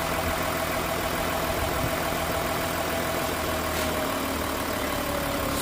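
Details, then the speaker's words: Volkswagen Touareg V6 TDI diesel with P0087 no-start, after fitting and coding new injectors: steady, even idle with constant low hum and no misses or knocks; runs again. "Ayan so k kita niyo umaandar na ulit siya Nabuhay na siya ng mga na-stock din ito ng mga ilang linggo kasi yung parts hindi pa dumating matagal so at least umandar na siya ngayon"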